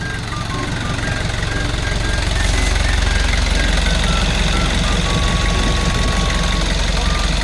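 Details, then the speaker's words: Kia Bongo Big Eye diesel with electronic pump, previously not starting, after repair: steady even diesel clatter at idle, about three firing beats a second over a low rumble, no misses or knocks; repaired. "Ah goods na siya. Goods. Okay. Lalarga na siyang unit Ah."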